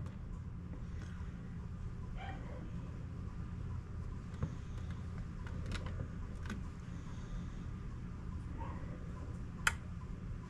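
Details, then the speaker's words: Old Carrier gas pack not running: only the indoor blower's soft steady hum is heard, with no compressor thump or condenser fan roar. The compressor and condenser fan are not starting; a SureSwitch was later removed and a contactor reinstalled. "all right let's see what it's doing all right I hear to blower running nothing else"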